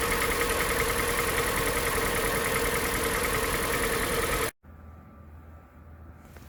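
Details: 2014 Hyundai iX35 2.0 G4NA, 76,000 km, cold start: loud clatter with steady knock about 3.5 beats per second over idle; piston knock, rings stuck, connecting-rod and main bearings badly worn, overhauled with block bored 0.5.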